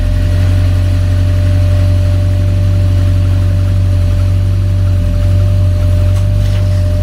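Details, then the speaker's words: 1982 VW Westfalia with Subaru engine swap at idle: steady mid-pitched whine over heavy even idle; noisy electric fuel pump, old pump suspected of low pressure causing hard starting. "Makes lots of noise, but it sure didn't turn up right away. Ah, that's the fuel pump making noise."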